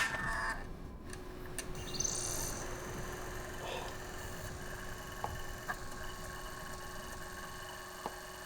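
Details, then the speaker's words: Pink PlayStation 2 disc drive after repair, reading a disc: quiet steady whirr with faint hum and occasional light ticks as the laser seeks; drive spins up and reads normally. "Okay, well, that was the simplest fix ever. Listen to that drive work."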